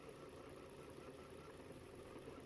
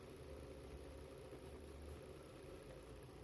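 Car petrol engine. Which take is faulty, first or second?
first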